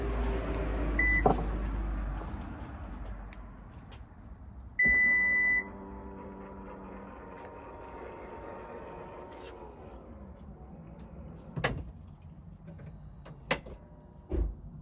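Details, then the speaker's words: Lexus NX power tailgate after greasing telescopic struts (part 68920-48061), which had caused rumbling grating on closing in warm weather: warning beep, smooth motor whir, soft latch thuds, now quiet. "Okay, and then back down and listen. Quiet as a mouse."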